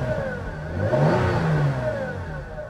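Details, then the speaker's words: Car at salvage auction, not overheating, AC not working: thin moaning whine rising and falling with revs as the engine revs and settles; power steering or transmission pump suspected, source unconfirmed. "I'll bet that whine is the transmission. How much you want to bet? I thought it was power steering. I'm wondering if that's transmission, like the transmission pump."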